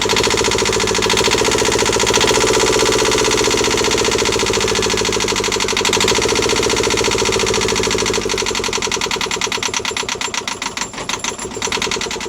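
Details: Newly installed Yanmar 2GM20F diesel in a Prout catamaran, first start after priming the water pump, smoke from the exhaust: catches and settles into a steady, even beat with no knocks or misses; healthy start and run.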